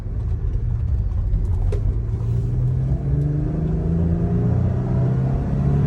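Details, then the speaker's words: 2020 Jeep Gladiator road test after rocker arm repair for a top-end tick, accelerating from a stopped intersection; deep smooth rumble under wind noise, no ticks or rattles. Normal acceleration, no valve tick. "Isn't that great? Just some good old wind noise. No ticks, no rattles. My cam shafts thankful."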